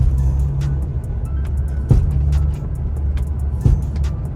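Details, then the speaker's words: BMW E46 M3 that pulls hard left: two heavy single thuds about two seconds apart as power goes on under acceleration, a driveline clunk felt as a tap at the front; owner fears a damaged diff, cause unknown. "have a listen to this is the the clunk that you hear it's just annoying accelerate"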